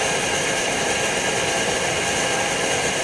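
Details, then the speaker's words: Older Primus Omnifuel stove on white gas with factory flame plate, after preheating until hot and valve opened fully: steady even roar with lots of hiss, no pulsing or sputter, burning cleanly at full output. "we'll open the valve that the year before now we're open running full blast"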